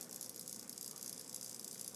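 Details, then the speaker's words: Panasonic RC-6530 flip clock motor, removed and energized on the bench: fast, dry, continuous high-pitched chatter from the sealed motor. A cracked gear on the main shaft is suspected. "it is working but it's making this this terrific sound here"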